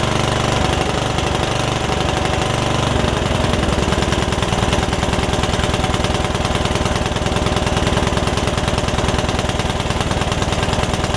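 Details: Free Yard Machines riding mower, single-cylinder engine that had filled with water after sitting with air filter off, first start after revival, valves not gapped: steady but slightly uneven, lumpy idle; owner suspects running rich, rough running, cause unconfirmed.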